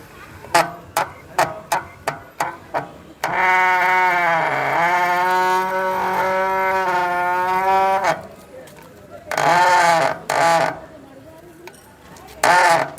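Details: Mountain bicycle dual disc brake: loud honking squeal in short repeated bursts, then long held moans as the wheel drags. Noisy disc brake, cause unclear.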